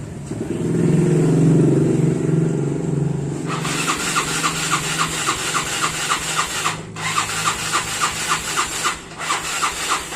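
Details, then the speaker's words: Yamaha Mio Sporty scooter that often stalls, now won't start: a short hum, then repeated cranking strokes about three or four a second that never catch; no-start. "Bisa teman-teman lihat motornya itu tidak mau hidup"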